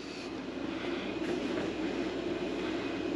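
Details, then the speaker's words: Mr. Heater Big Maxx 50,000 BTU garage heater, about a year old, after blower motor replacement, run with side panel open: soft steady whirr of flue inducer motor with no rattle, scrape or wobble, then ignition; normal draft inducer operation. "our flu motor is on we're going to get ignition now ignition all right and then as soon as the tubes heat up the fan will kick in beautiful"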